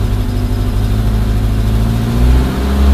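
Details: Suzuki Samurai/Jimny 1300 SJ413 JA51 with Toyota Corolla 3K-C 1.2L carburetor replacing a Weber: steady, even idle, then picks up smoothly when revved, no stumble or misfire; running healthy, though the owner says it still needs fine-tuning.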